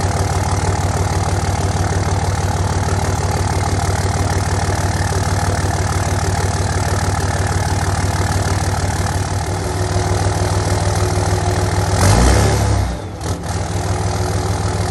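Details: 5.9 Cummins diesel after fitting a new muffler-delete pipe section, idling then revved: steady, deep, even clatter with a smooth swell on revs, no ticking or puffing exhaust leaks, running normally.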